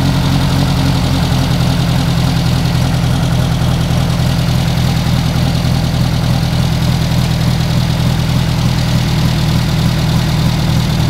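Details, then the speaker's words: Renault R8 Gordini rebuilt four-cylinder restarted to warm up before carburettor synchronisation and an ignition advance check: a steady, even idle with a deep low burble and no knocks or misses. The running sound is judged very good; normal warm-up idle. "mais là au vu du bruit de fonctionnement je pense qu'on est plutôt très bien"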